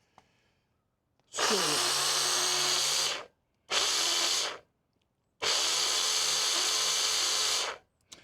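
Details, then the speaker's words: Rieco-Titan truck camper jack, noisy compared with the other jacks, run with the head disassembled via the control button in both directions: loud, harsh, rough whir in three bursts; owner suspects the motor is starting to go, later swapped for a quieter spare motor. "go the other way with it sounds like crap it does I think the motor's starting to go"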